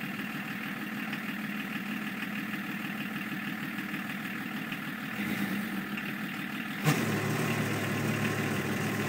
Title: bruit moteur 325 tds